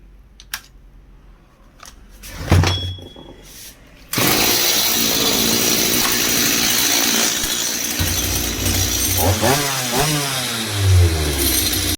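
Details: Stihl MS180 chainsaw after replacing the clutch drum and sprocket with an original Stihl set: after a few pulls it fires into a crisp buzzing two-stroke note, revs climbing and dropping cleanly; no starting issues, runs healthy.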